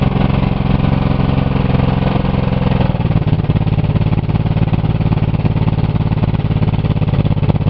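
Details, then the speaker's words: Buick 3.8 (3800) V6 with one connecting rod removed, a hole in the block and little oil, restarted after cooling: revs high at once, then deep dense clatter turns harsher and ragged, sounding like another rod thrown. "that rev to the Moon right away sound like it threw another Rod you hear I heard another cylinder d"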